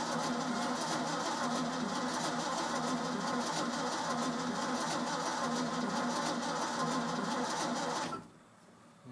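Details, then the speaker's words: Old Ford F-600 after a new fuel pump and spark plug change. Steady starter cranking about three and a half turns a second for eight seconds, never catching, then stops. Gas smelled at the exhaust; owner suspects no spark. "right so we're probably not getting spark I think seeing is not trying to get"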